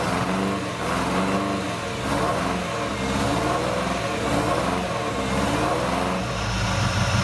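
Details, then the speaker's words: Ferrari 308 GTS, non-runner, after cleaning idle jets and badly worn distributor cap: catches but runs lumpy, surging and stumbling right after starting; owner suspects it is flooded and will clear out. "okay it's I think that's also because flooded and back surrounded so if it gets cleared out I think that will"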